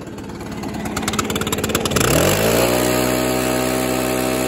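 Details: Stihl BR600 two-stroke backpack blower after carburetor adjustment and a throttle cable fix: it sputters unevenly at first, then revs cleanly to a steady high buzz and holds it; it runs much better and smoother.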